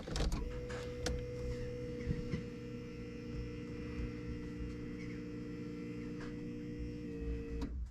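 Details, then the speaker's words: 2000 VW Polo 6N2, 22 years old: faint steady electric hum for about seven seconds with ignition on before cutting off; fuel pump takes too long priming fuel, cause unknown. "i'm going to switch on the engine so you can hear this funny noise the fuel pump takes a lot of time to pump fuel in it's something"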